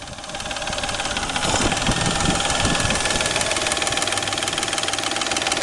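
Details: Peugeot 607 3.0 V6 at idle: a steady knock about four times a second over the idle, located near the timing drive (ГРМ) area at the front of the engine. Engine knock, cause not determined.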